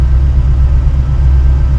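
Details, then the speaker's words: 1966 Mustang 289 V8 with Holley Sniper 2 EFI, warm idle while the idle AFR comes up and the EFI is still learning: a deep, even rumble with no ticks or misses; it runs very well. "Man, it's just running so well."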